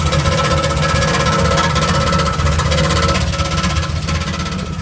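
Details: 1977 Camaro running loud and rough with an uneven rapid pulsing, about four beats a second, over a deep rumble. The engine noise is abnormal; cause unclear.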